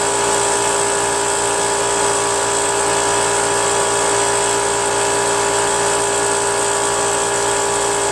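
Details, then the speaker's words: Brute Briggs & Stratton 10-gallon 125 psi air compressor after reed valve, gasket and oil change: steady high-pitched motor and pump drone past about 125–140 psi despite adjusting pressure switch set screw; not cutting out, check valve suspected stuck. "it still doesn't shut off I even turned that screw Bunch all the way and uh it made no difference whatsoever so I don't know when when this thing's going to shut off you know"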